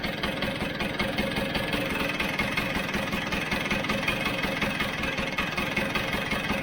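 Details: Vespa GS two-stroke warming up during carb adjustment: even, steady beat at a slow idle with no hunting or stalling after screw adjustments; idle mixture and speed now set right.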